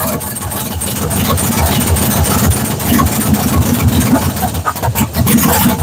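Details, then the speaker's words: GM 6.0 V8 swapped in place of a 5.3, first fire-up: rough, loud idle with an uneven clanking rattle because the flex plate and torque converter are not yet bolted together and shift while running; engine struggles to stay running. "all right that noise you heard was the was the uh spray spray spray yeah was the the flex plate and the Fly and the torque converter they're not bolted up so they sit here and do this while one is running"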